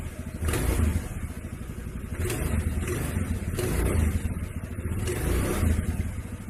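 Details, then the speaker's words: Honda Vario CBS scooter that made a clacking noise from the CVT under throttle, after the CVT was taken apart and repaired (clutch linings): revving in low, even pulses with no grinding, rattle or whine from the belt drive. "Ini alhamdulillah bunyinya udah hilang, udah halus ya."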